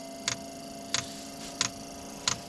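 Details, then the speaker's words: Off-grid diesel cabin heater after cleaning, new glow plugs and a new fuel pump: crisp ticks about 1.5 per second over a faint hum. The new pump is working normally, slowly drawing fuel from the tank while priming. "The new fuel pump's working. That's good. Uh I can see it taking fuel from the tank. Slowly pulling it through."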